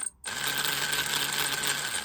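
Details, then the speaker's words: PS Models Hudson loco under build, raised on blocks, wires touched to motor: thin steady high whine with smooth gear buzz; motor and wheels run normally. "st touch these uh wires against the motor and you can hear that it's running okay"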